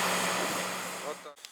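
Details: DAF XF95 480 truck, XE355C engine, after replacing cracked crankshaft and block plus engine overhaul (2.6 million km): steady, even diesel idle with constant low hum, no knocks or misses; engine runs healthy.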